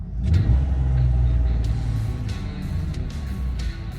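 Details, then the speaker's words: Jeep WJ Grand Cherokee idling steadily after installing a Viper Coil Mod in place of the stock coil pack, spark plugs unchanged; a quick rev falls back to a low, even rumble with no stumbles or misfires. Normal idle. "Will it start up? Solid, good to go. All right, so it's idling good."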